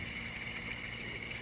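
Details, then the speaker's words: High-mileage car at 2000-hour inspection, belt tensioner pulley removed and spun by hand: fast, dry, gritty whir that keeps spinning, showing a dry bearing without grease. "and look at how it just keeps spinning and spinning and that's a really good indication that that bearing is dry there is no grease inside"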